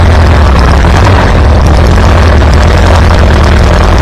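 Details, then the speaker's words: Farmall B tractor running after a weak ignition coil was replaced, restoring strong spark; deep, steady low rumble with an even beat, no misses or stumbles. Good oil pressure. Normal running. "Wow, not bad, not bad. Listen to that thing purr."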